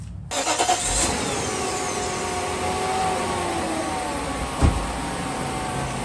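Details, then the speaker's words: 1998 Mercedes 500SL V8 after replacing oil cam tubes and timing chain guides: short crank, quick catch, smooth even idle with the previous slight top-end ticking gone; normal idle. "oh yes that is a clean sounding engine guys that definitely eliminated all that slight ticking noise now it sounds like a brand new motor"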